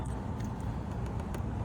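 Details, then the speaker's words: Auction Range Rover L322 with new battery, unburnt fuel smell: uneven, lumpy idle with a loose breathy hiss; intake boot found disconnected, a vacuum leak upsetting the mixture, possibly O2 sensor reading, suspected auction sabotage. "the O2 sensor, there's an intake leak or something that's not happy, because hear that, see that hose? Oh, the intake's not on at all. That's why. Look at that. The intake boot is not even on."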